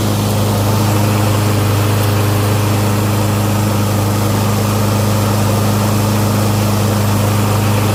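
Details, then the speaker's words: Curb-find Lawn Boy mower, first start after storage, cleaned and fresh gas added: steady, even low hum at fixed idle, no misses, knocks or hunting; sounds cleaner, normal idle. "So yeah. Looks like it sounds good. It's cleaner."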